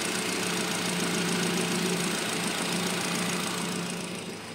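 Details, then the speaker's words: Nissan Grand Livina after repairing a leaking ignition coil that caused misfire, high fuel use and MIL on: even idle with a steady hum and no stumble, air conditioning on; engine smooth again, normal idle. "Nah sekarang halus lagi langsamnya kita AC ya sekarang enak lagi suara mesinnya"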